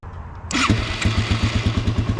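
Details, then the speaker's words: Yamaha 225XT dirt bike after carburettor removal and cleaning: short crank, then catches at once and settles into an even, regular idle thump; clean, healthy start. "Oh, that was pretty Starts up real good, huh?"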